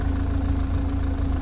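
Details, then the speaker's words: MG TF after restoration, idling about 15 minutes and almost up to temperature, no engine warning light: smooth exhaust note with a low busy metallic rattle underneath, source unknown; mechanical rattle at idle. "sounds smooth it's all sounds good I've got some kind of something rattling under there I don't know what it is but mechanical rattling but exhaust sounds good sounding sweet"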